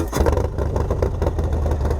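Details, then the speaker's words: Harley with Fuel Moto Stage 2 canned tune, 475 cam, 64 intake, new injectors, after three auto-tune sessions: loud, rowdy, deep lumpy V-twin bark with sharp throttle blips and uneven lope; strong healthy engine running cleanly. "it's loud it's Rowdy uh you guys have seen my videos you guys know what kind of decibles it it outputs"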